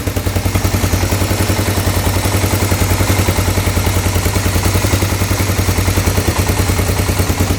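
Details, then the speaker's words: 1986 Honda FourTrax 350 4x4 ATV, first start after years of neglect, burning off penetrating oil put down the cylinder: even thumping idle at about 3.5 pulses a second, no ticking, knocking or smoke; a healthy engine. "so she fired right up sounds amazing no ticking no knocking engine sounds great I just cannot believe how how good that sounds"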